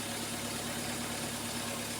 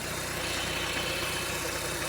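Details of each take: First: 2011 Ford Ecosport, Zetec Rocam engine, after replacing the coil 2 and 3 driver in the ignition module: steady, even hum with no misses or stumbles. Normal idle on all cylinders after repair. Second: 2011 Ford Ecosport, Zetec Rocam engine, at idle: lumpy idle with a regular stumble from a misfire on cylinders 2 and 3. The coil gets 14 V but no trigger frequency from the ECU module, so those spark plugs get no current.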